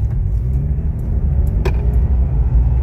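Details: Healed 2007 Dodge Dakota running smoothly with no stumble, miss or jerk after repair; earlier slight miss on acceleration despite new spark plugs and cleaned injectors, likely fixed by servicing coils and replacing coil boots; ABS sensor connector also repaired.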